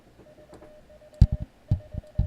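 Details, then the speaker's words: Elecraft K2 kit in the keyer test, built-in keyer; the dash had not worked on the paddle earlier. A steady mid-pitch beep keys out dots and dashes with nobody on the paddle. The keyer is sending on its own, cause unknown. "it's sending Morse code. I'm not doing anything."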